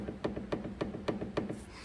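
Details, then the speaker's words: BMW 730Ld long wheelbase, knocking over bumps while driving; on the ramp, link rocked by hand gives five sharp, hollow knocks about three a second from a worn anti-roll bar drop link joint; fix: replace the link. "so all that is is inside here the joint is now just worn away and as it's going over the bumps with the weight of the car on there there's obviously a lot more Force involved so the knocking noise is a lot louder"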